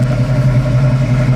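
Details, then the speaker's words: 1968 Ford Mustang coupe, 289 V8 two-barrel with 3-speed manual, idling after a rev: throaty, even V8 burble that drops right back to a steady idle, no ticks, knocks or stumbles, no smoke; normal idle. "I was just telling everyone here how nice this idles. I mean, you just revved it up, it sounds awesome, but yet it idles right back down."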